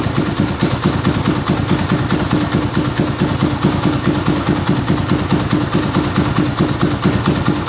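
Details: Yamaha Scorpio single-cylinder after tune-up (valve adjustment, carburetor cleaning, new intake manifold, oil change): steady even putter about two beats a second, no clatter or hunting, smoother after valve adjustment, air screw about 1.5 turns; normal idle.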